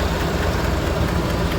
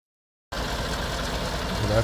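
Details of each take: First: 2017 Chevrolet Silverado 5.3 V8 with AFM deleted, 25,000 km, P0324 knock sensor code: a light quick tick over the idle rumble, louder from the right side. The number four pushrod bent again a year after it was replaced. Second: 2017 Chevrolet Silverado 5.3 V8, 25,000 km, AFM deleted, P0324 knock code, number four pushrod bent again with lifter ticking; at idle after valve cover reassembly it settles steady and even with no ticking, mic near driver then passenger side.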